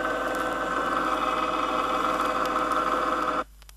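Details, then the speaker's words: Ring and pinion gear set with the pinion moved out of the drive gear, set too shallow: the light hum has turned into a louder steady whine with a sharp, gritty, grinding edge that cuts off abruptly. "it's light but the sound has increased and is starting to have a grinding or sharp characteristic"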